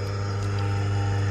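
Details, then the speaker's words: Car-wash pump electric motor, hot, run with the fan belt removed and only the empty pulley turning: steady, even low hum with no knocks; motor fine, while the noise and jerking come from the pump (bearing suspected). "देखो इसमें आवाज़ कुछ नहीं आ रही, नहीं motor सही है, motor पूरा सही है, कुछ तकलीफ नहीं है"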